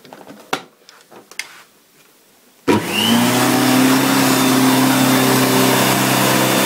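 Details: 1990 Electrolux 616 Electronic (Z616AE) vacuum cleaner, bought used and cleaned: after a click the motor spins up to a steady, even hum of clean, unwavering pitch; motor runs really good, normal running.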